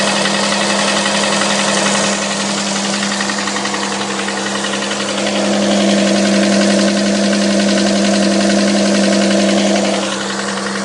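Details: Engine knock on a 6GEA engine: a sharp, regular knock at about four per second over a steady idle hum, a clear internal knock with the cause not yet known.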